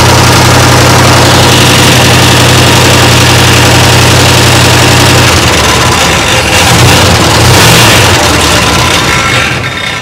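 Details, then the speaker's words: 1962 Chrysler big-block V8 first start after long sitting: loud, fast clattering rattle from the top end at idle; owner suspects oil pump lost prime, valve train rattling, cause unconfirmed. "so sometimes these old Chryslers lose their Prime when they sit the oil pumps so we'll see maybe it's just lost its prime but it sounds like the valve train is just rattling to beat hell"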